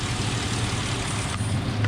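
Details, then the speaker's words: 2003 Ford Explorer after alternator replacement and a test drive, charging 14.0–14.3 volts: steady, smooth low rumble at idle with no knocks, ticks or whine; the engine idles healthy. "So the alternator's working great. Everything sounds good. Charging."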